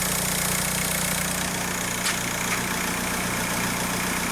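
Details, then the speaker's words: 2004 VW Beetle TDI, BEW PD engine, with injector code P1666 and cylinder 1 misfire P0301 (ECU had cut the injector): after switching off and restarting, a steady, smooth diesel idle with all cylinders firing. A crank signal or connection fault is suspected. "seems really smooth now no engine jumping around"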